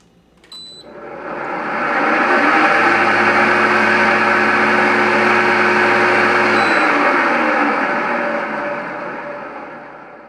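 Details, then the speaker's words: Kenmore window air conditioner with a bad fan motor bearing, before motor replacement: spins up into a loud, rough whirring drone with a steady hum underneath, then winds down. "got a Kenmore air conditioner making a lot of noise I'm gonna have to replace the motor but I'm going to show you what it sounds like"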